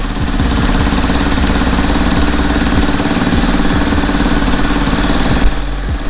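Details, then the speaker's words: Cheap $40 Zuma 50F scooter engine, first start on premium fuel without starter fluid: rough idle with a fast, sharp puffing chuff on every firing pulse, louder than the engine, from an exhaust leak; stalls when given throttle. "look at that exhaust though definitely exhaust leak but she's running man"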